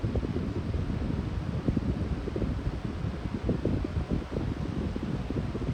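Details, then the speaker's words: Lasko high-velocity fan switched up to medium speed: a steady airy rush with a low hum or whine underneath and no rattle or scrape. The motor runs normally. "I think low speed has the best startup sound, but it does whine pretty loudly with the winding sound or the humming sound on medium. So when I switch up to medium, you'll be able to hear it."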